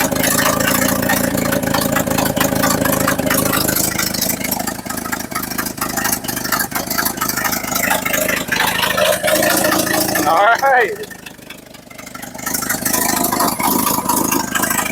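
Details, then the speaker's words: 1963 or 1964 Chevrolet C10 stepside (year stated both ways), after fuel-air and idle tuning, now idles on its own: rough, raspy, popping and loud through a cheap exhaust; normal idle. "she is idoling on her own now still a little loud cuz well it's pretty much with cheese exhaust"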